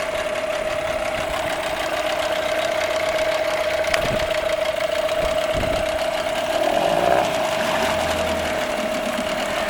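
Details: Nissan 8 hp outboard, previously would not start, final running test: steady, even buzz at one pitch with no misses or surging; running smoothly and healthy.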